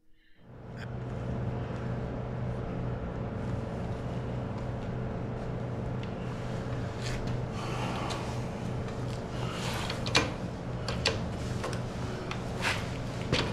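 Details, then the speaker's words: Yamaha TT-R 125 single-cylinder running after a gas change and a week of sitting, having smoked at first start and on first revving before clearing: steady, even drone with no misses, only light clicks; normal revving. "so finally got her going pretty good when I first started it bunch of smoke came out when I first started revving it up cleared it out think if we ride this a little bit we'll get rid of all the cobwebs this sounds good"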